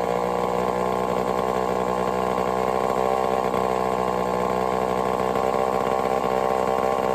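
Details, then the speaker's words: Homelite Super XL-923 82cc chainsaw test fire after tuning; loud high-revving buzz held dead steady with no stumbling; a little rich on low speed, loud, good and snappy. "She tuned right up pretty easy. Got a little rich on the low speed, but I'm very surprised. She's loud though. Holy cow, she loud. Good and snappy."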